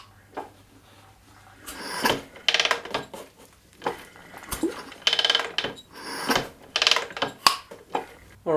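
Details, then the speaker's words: KTM 620 engine turned over by hand for the first time in about 10 years after sitting in pieces: strong suck, a definite intake valve close, then a clean exhaust puff. Compression likely healthy. "so I'm pretty sure all of those sounds were good. You could hear the big intake, valve close, and then exhaust sound. So that was good."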